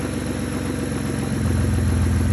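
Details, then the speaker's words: Car at idle after replacing power steering hose that had been sucking in air and foaming fluid: steady even smooth hum, no whine or gurgle from steering pump; running quietly, fixed. "Well, there she is. Running nice and quiet. Got my new hose on there. No more power steering noises."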